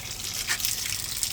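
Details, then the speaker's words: 2004 Evinrude 200 direct injection outboard on a hose flush, after clearing black debris from a blocked cooling passage: steady hiss of water flowing freely with no sputter or air gulps; cooling circuit flowing normally. "It takes it a minute to get all that air push out of it."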